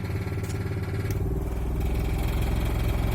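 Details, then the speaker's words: Trailer air conditioner/heat pump running on low after condenser fan blades were cut down for balance; low uneven clatter three to four times a second over the fan hum. The fan is out of balance and misaligned, striking its shroud. "now if I move too high yeah it's still making fair amount of clatter all right so I think it's gonna need a little more balance"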